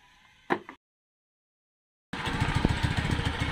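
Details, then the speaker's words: Suzuki Spin motorcycle, previously running rough and using oil quickly, idling after a camshaft replacement: even, steady putter with no valve clatter; the earlier rough noise is gone and the engine runs smoothly. "Apa itu noken asnya Setelah dipasang jadi mesin halus ya"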